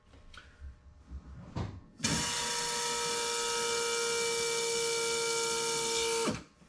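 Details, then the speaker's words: 1965 Corvair Monza power brake upgrade, silent-drive electric vacuum pump at key-on: smooth, steady, quiet whine for about four seconds with no vibration until vacuum builds, then cuts off cleanly; normal pump operation. "there's like zero vibration which is nice and it's pretty quiet just kicks on for a little bit till it builds up enough vacuum and it turns off"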